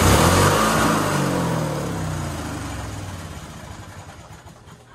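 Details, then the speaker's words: White LT1650 Hydro riding mower with Briggs & Stratton engine, now quiet after the hard-starting repair: it pulls strongly at high revs with a clean, steady exhaust note, then winds down evenly without stumbling; starting issue sorted, normal running. "even when it was warmed up before it would you know kind of struggle it would almost sound like a dead battery so I think we have got that starting issue completely sorted"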